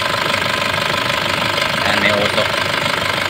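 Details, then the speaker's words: Nissan Patrol ZD30 diesel that ran after sitting a long time with low compression: a loud idle with a loose clatter of about three beats a second. The timing chain has become noisy after long storage. "Kasi nga matagal na hindi umandar to tapos yung timing chain medyo maingay na yung timing chain"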